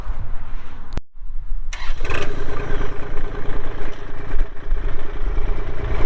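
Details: 2024 Kubota L2501 compact diesel tractor with loader, backhoe, hydrostatic drive and 35 hours. After a short pause the engine catches quickly and settles into a steady, even diesel idle with no misses or knocks; a normal start and idle.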